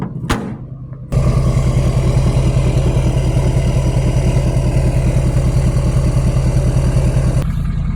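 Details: Duramax L5P diesel that had a crank-no-start with code U18A2 (lost communication with the fuel pump control module), after plugging in a replacement module: catches and settles into a steady, even idle with a regular low beat, no misses, no dash codes.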